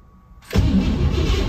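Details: 1957 Pontiac Star Chief sitting over 10 years, new battery fitted: after a quiet start the starter spins the engine steadily for a second with no firing; cranks fine but won't start, spark not yet checked.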